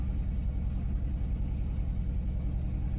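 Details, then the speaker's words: 2011 Jeep Liberty 3.7 V6 with overheating and warning lights, suspected blown head gasket, earlier code P0302: deep, lumpy idle with an uneven thump two or three times a second from a cylinder misfire. "I don't know if you can hear it it's not smooth"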